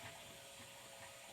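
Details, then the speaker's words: Old Evinrude 150 outboard, believed a 1978 model, cold start out of the water, heard from the helm: quiet, sparse mechanical clicks with a faint hiss as choke is applied; choke solenoid working normally. "give it a little bit of choke you can hear the choke working"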